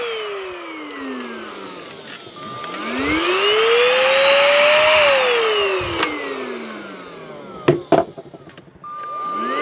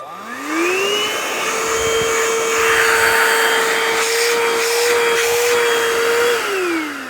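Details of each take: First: Unbranded, fully charged cordless stick vacuum: motor whine rises and falls smoothly and sounds okay, electronics fine, but hardly any suction; owner suspects a clogged exhaust filter despite the main filter looking fine. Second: Donated vacuum cleaner whose filter was caked so thick no air passed, tested before cleaning: motor spins up to steady even whine with strong airflow, then winds down cleanly; normal suction, needs only filter cleaning.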